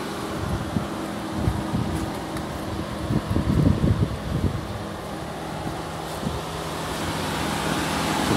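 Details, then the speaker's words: VW TDI diesel (Golf/Passat/Touran) after a long motorway drive, engine switched off: a steady low cooling-fan hum keeps running under wind and traffic while the DPF regeneration completes; normal fan run-on that stops after a few minutes. "so you may hear you hear that on your car with the dpf but it isn't anything to worry about and after a few minutes that will go"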